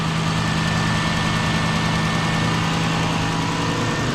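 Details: Lexus LS400 at idle after replacing the drive belt, tensioner and idler pulley, which had long been making noise: smooth, even idle with a steady low hum and no squeal, chirp or rattle from the belt side; sounds healthy.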